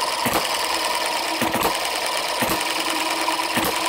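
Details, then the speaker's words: Microcosm Eachine M90 model hit-and-miss engine, fueled, just fitted with new softer/lighter springs to slow it to about 45–48 hits per minute: sharp firing hits about every second with light coasting ticks between; normal slow hit-and-miss running. "i've got the new lighter springs that i've just showed you and i think i've got this down to running at about 45 to 48 hits a minute"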